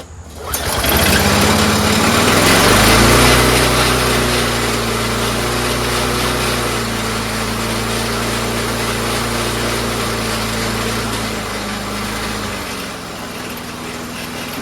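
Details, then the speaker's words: Troy-Bilt 4HP Briggs Quantum mower with no governor linkage to the throttle plate; owner made his own linkage. Starts, flares up, then settles to a fairly even low idle. "There's like no governor connection at all, you know? So I just tried to make my own whatever, and well, here it is right now."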